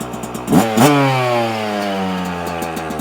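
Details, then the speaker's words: 2024 Yamaha YZ125 two-stroke, warmed up after rejetting with a 162 main jet and the pilot jet dropped from 72 to 55 (stock 75). Two sharp blips return straight to a steady, crackly idle. Clean, crisp throttle response. "so just take it easy sounds nice and crisp I like"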